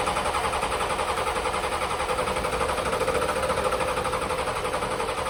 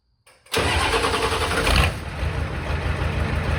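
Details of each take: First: 1986 Ford F150 with swapped 7.3L IDI diesel: starter cranks steadily about four turns a second for nine seconds without starting; injection pump solenoid voltage dropped from 12 to 8.5 V during cranking due to shared wiring and weak batteries. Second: 1986 Ford F-150 XLT, first start after swapping in a 7.3L IDI diesel from a box truck, on a temporary straight-pipe exhaust: the diesel lights off at once and settles into a steady, even idle clatter with no misses.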